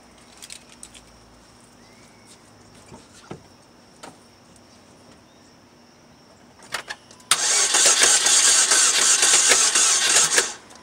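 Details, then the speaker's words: 2007 Saturn Vue cranks but won't start: starter spins the engine at a steady even rhythm for about three seconds but it never catches and runs. Crank, no-start; cause undiagnosed. "the car is cranking but it's not starting"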